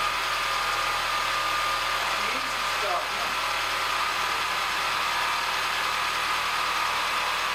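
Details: Peugeot 207cc after the timing had slipped and was reset: even, steady idle with a faint constant high tone and no rattle or knock; running cleanly.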